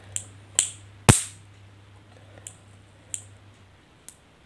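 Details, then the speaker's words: Washing machine run capacitor tested by charging with leads and discharging: a string of sharp snaps, one very loud crack then smaller ones, showing the capacitor holds its charge. "तो दोस्तों इसकी आवाज़ सन लिया आपने हल्की है बहुत कम"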